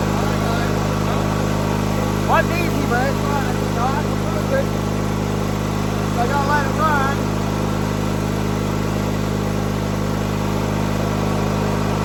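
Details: 1997 MTD Yard Machines riding mower, tank refilled from empty; constant low engine drone holding speed with outdoor chirps, running after a hard start, cause not evident.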